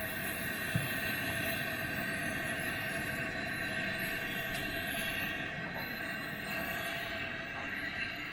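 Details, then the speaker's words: Vintage Coleman 413G two-burner camp stove on its first fire after cleanup, pumped 40 times, burners heating up: steady, even hissing roar with no sputtering or surging, both burners burning cleanly, second one slightly stronger. "I don't know if you can see it, but that second burner is going a little bit better even than the first one, but as they're getting heated up, suckers are working great."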